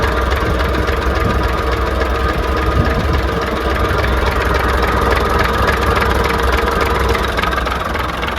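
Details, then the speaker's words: Class 117 DMU 51412, both diesel engines at first start in 5 years after air was bled from the fuel injectors: steady, even idle at about 500 rpm with no knocks or misses; running healthy. "Check. They're both idling. >> Okay. Now, what the idling at? >> They're idling at about 500."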